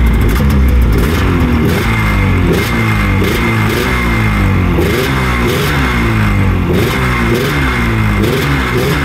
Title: Rmk 700 is alive! First start after 2 years